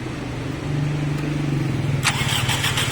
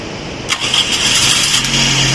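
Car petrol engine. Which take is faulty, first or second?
first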